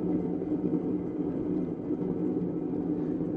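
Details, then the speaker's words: Old kick wheel for pottery with a 160–180 lb flywheel spinning on momentum: a steady low droning rumble with a rough hum from worn flywheel bearings running noisier than they should. "and the bearings you can probably hear that they're not the the best bearings this is an old old kick"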